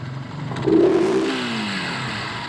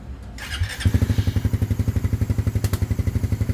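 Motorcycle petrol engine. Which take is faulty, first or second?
first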